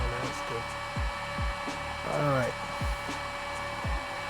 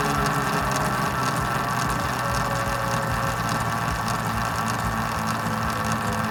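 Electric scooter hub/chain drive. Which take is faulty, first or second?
second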